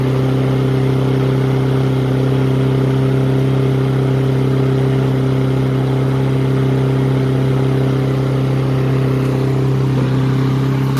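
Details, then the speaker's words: Troy-Bilt mower with Honda engine, first run after carburetor cleaning and draining water-contaminated fuel, previously would not start: steady, fast, high-pitched drone with no dip or hunting; racing at high RPM, needs adjusting. "High RPM, we should adjust it. Okay."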